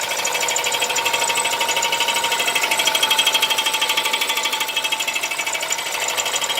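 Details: Audi A4 B8 1.8 TFSI engine with a fast, regular, sharp metallic ticking knock, about three a second, from inside the engine; cause not identified.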